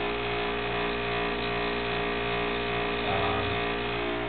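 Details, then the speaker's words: 10-year-old refrigerator compressor near failure: loud, steady hum with many fixed buzzing tones, rougher than a healthy fridge, a so-called death rattle. "okay and uh that's known as a death rattle but when you hear that out get yourself a new refrigerator or call me"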